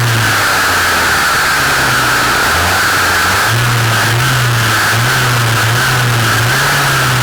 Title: Dolmar MS 4510 Shaft View (LOUD NOISE)